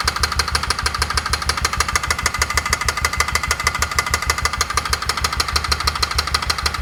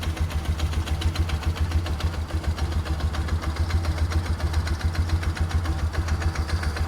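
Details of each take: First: 2004 Polaris Ranger 6x6 UTV after top-end work: crisp, regular tapping about twice a second at idle, loud in the top end. The owner suspects the exhaust valves contacting the piston, possibly because the piston was installed backwards. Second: 2004 Polaris Ranger 6x6 UTV: even, low thumping idle at about three and a half pulses a second, no more knocking; healthy idle, though it won't take upper RPM and the needle setting is suspected wrong.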